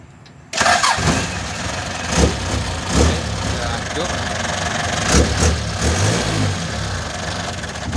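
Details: Toyota Dyna Rino 115 PS diesel truck with a no-crank traced to a dirty, rusty starter motor; starter cranks briefly, engine catches at once and settles to a steady even idle with no misses or knocks.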